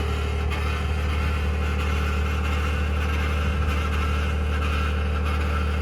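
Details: 2021 Ford F-150 PowerBoost on a cold start, running with a constant low hum and a rough, gritty grinding or cavitating noise at steady speed; source not pinned down.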